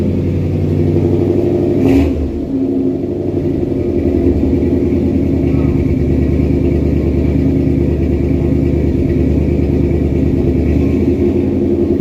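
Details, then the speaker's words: 1963 Studebaker Champ pickup revived after sitting, with filed points and an electric fuel pump, possibly no thermostat, and the temperature gauge not yet moving: a steady, even low rumble with no knocks or misses. Normal running. "But it runs pretty damn good the way it does now."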